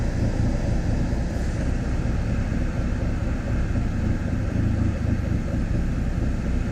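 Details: Engine idling rough: a low, uneven rumble with a lumpy, unsteady beat and nothing else over it; cause not evident.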